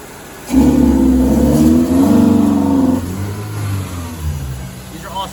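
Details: Toyota TE31 Corolla with swapped 3SGE Beams black-top engine, Altezza six-speed, inline 255 fuel pump with regulator: engine revs up, holds a flat strained note about two seconds without climbing cleanly, then drops back; fails to rev out, cause suspected.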